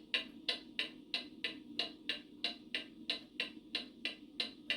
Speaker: That does not sound like a clock in beat, which goes tick tock, tick tock.